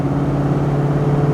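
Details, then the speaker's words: 1984 Jeep Grand Wagoneer Limited 4x4 under acceleration around a transmission shift: steady, even engine drone with no knocks, misses or rattles; healthy engine and transmission. "Like I said, car runs well. Engine's healthy, transmission. Here at shift right now. Sounds awesome."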